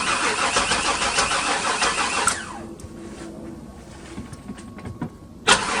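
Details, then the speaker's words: 1996 Chevy Tahoe bought sight unseen, after spraying starting fluid in the intake: a steady whirring crank for a couple of seconds that never catches, battery already getting tired; crank no start. "nothing so as you can hear the battery is already getting tired so we'll bring up some uh jumper cables and probably boost off of this"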